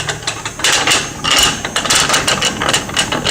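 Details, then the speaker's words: Lincoln MKZ AWD, noise on acceleration: rapid irregular metallic clicking and rattling from driveline; joints checked good, bad drive shaft carrier bearing suspected, whole drive shaft to be replaced. "Customer complained it was making noise on acceleration and that, and when they were driving around here hearing all kind of crazy sounds."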